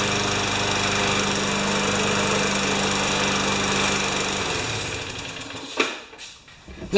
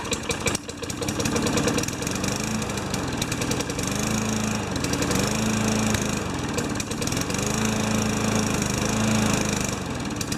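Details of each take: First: 5 HP Tecumseh junkyard mower engine after reaming the carb's second hole and a new primer bulb: steady even single-cylinder buzz for several seconds, then clean shutoff; runs healthy. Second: Junkyard 5HP Tecumseh mower engine: weak uneven putter surging and sagging, barely running; not much compression, runs "sort of".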